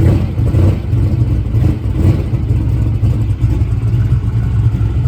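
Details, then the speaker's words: Drag race car engine after a hydro-lock, starting timing cut from 22 to 16: deep, loud, lumpy idle with a slightly stumbling beat under light throttle; owner suspects it ran too lean, as it leaned out to about 6.0. "Guys, so everything seems to be running fine. Sounds a little funny, honestly. It sounds like maybe it was a little too lean."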